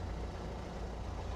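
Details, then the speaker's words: Diesel car idling rough with no engine light and no smoke: low, uneven, lumpy idle beat. Injectors are suspected but unconfirmed; a first scan showed no faults. "Don't know if that's picking up on the camera, but it's not running very well at all. There's no smoke or anything coming from the back."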